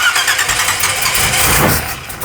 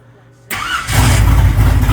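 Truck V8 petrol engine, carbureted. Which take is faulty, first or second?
first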